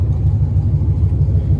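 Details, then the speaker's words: Auction Camaro SS with a junkyard V8 engine and headers, freshly installed and running on 91 octane: deep, smooth, even rumble with no knocks or ticks; normal running. "all righty guys so it's got some 91 in there thing already sounds like it's running really really good"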